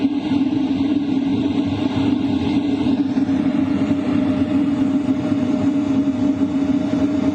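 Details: LF Bros diesel heater in a tent, set to the maximum 5 kW with combustion power at 99%. Steady whooshing airflow, a constant low hum and an even combustion roar: normal full-power operation.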